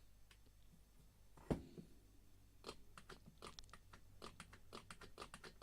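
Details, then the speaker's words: Throttle body from a 2004 Toyota RAV4 whose throttle wasn't closing fully and hung around 1000 rpm, turned by hand: sharp, irregular clicks and knocks. A rattle from free play in the throttle motor, cause not yet confirmed. "quite a lot of movement before anything's actually happening and the motor turns quite freely and doesn't seem to be any issues with it at all to be honest but still getting this funny sort of rattling noise"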